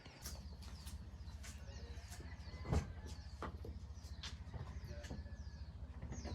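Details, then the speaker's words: Pontiac Vibe after starter replacement, battery reconnected and coolant topped off: soft, even low pulsing idle with birds around, no dragging or grinding; engine running normally after cranking up nicely. "Yeah, so there we go, guys. It cranked up really nicely, didn't drag or anything."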